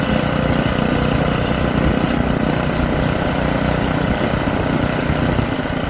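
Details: Troy-Bilt rototiller engine after magneto cleaning restored missing spark and carburetor cleaning, during carb adjustment: single-cylinder runs at steady, even speed with rough but consistent beat, no misses; sounds healthy.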